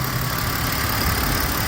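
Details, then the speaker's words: 2005 BMW X5 3.0i petrol six, after replacing aftermarket coil packs with genuine BMW ones to fix a cylinder 3 misfire and lean code; steady, even idle with no stumbles, check engine light off. "So, we go under the hood and it's running smooth."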